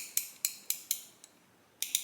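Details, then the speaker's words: 35-year-old Snap-On ratchet, greased and serviced several times, used as a comparison against a bone-dry new ICON swivel-head ratchet: crisp, even, cushioned clicks with no dry metal-on-metal sound, showing oil or grease inside; a normal lubricated ratchet. "sounds like it's not metal on metal sounds like there's a little bit of oil or grease in there"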